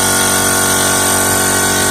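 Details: Air compressor after replacing its start/run capacitor, motor likely intact: steady even motor hum, constant pitch, no labouring; compressor now starts and runs normally.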